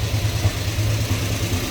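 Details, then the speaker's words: 1967 Dodge Charger 383 V8, heard from the tailpipes: deep, steady, lumpy rumble with even loping beat; healthy big V8 idling smoothly. "Here's that 383. More rumble coming out of her."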